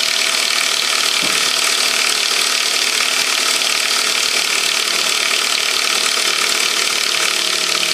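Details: 1998 Saab 9-5 2.0 LPT after an overnight cold start: fast, uneven ratcheting clatter of about three to four clicks a second over the engine. Source not identified. Ratcheting noise on cold start.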